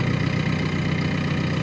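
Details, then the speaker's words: JCB diesel that finally fired after no-start trouble: steady, even low diesel idle with no knocks or misses. "oh that's good anyway at least you started normal I think"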